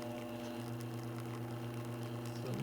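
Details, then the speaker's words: La Marzocco GS3 AV espresso machine, older 2007 unit, after yearly maintenance and IoT upgrade, pulling a double shot: steady low buzzing hum with rattly edge as the vibrating panels shake; better than before. "shaky so it's making this noise and it's better than before we don't want to see how these are kind of like moving because it's vibrating"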